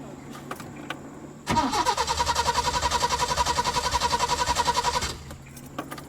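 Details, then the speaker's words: 1986 Peugeot 505 V6 with months-long intermittent no-start, owner suspects a wiring fault: steady, even cranking for about three and a half seconds, never catching or firing. Cranks but no start, cause still unknown. "Okay, the issue is still there, obviously. Still there."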